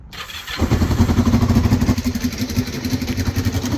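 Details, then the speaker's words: 1989 Kawasaki GPZ500S with just over 17,000 miles, off the road since 1994, first start attempt: it catches and runs with a lumpy, uneven chuffing that stumbles and surges at idle; rough running, cause unclear. "That sound a bit rough. So, now that we know it starts-ish, it was a bit rough, but it was going."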